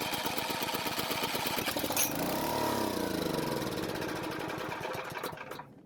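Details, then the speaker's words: Powermate generator that sat unused for years, with low compression (stuck piston rings suspected): after a couple of attempts it fires and chugs for a few seconds, then sags and coasts to silence; fuel flow and the carburetor are still to be checked. "Now, after a couple of attempts, we finally get to hear it start and run for a few seconds, which is great news."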